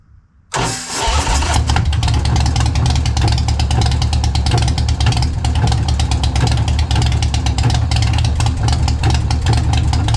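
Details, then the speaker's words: Motorcycle started cold in a freezing garage with brand-new spark plugs: catches abruptly, then lumpy, uneven idle with irregular firing. Owner suspects a failing spark plug cable rather than the compression release valve. Rough idle after hard start. "But what I don't think it's a compression release valve's acting up. I think it's a spark plug cable going bad. It's not sending the full charge to the spark, because those are brand new spark plugs I got in there right now."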